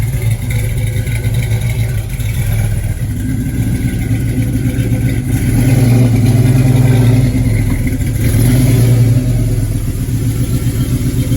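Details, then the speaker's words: 1968 Chevelle wagon with LS engine, first start on a new Holley Terminator X Max EFI after TPS reset and priming: strong, even V8 rumble with steady throttle blips, no misses or knocks; normal running. "Just like that. Wow. Holley really does make it that easy, guys. No joke."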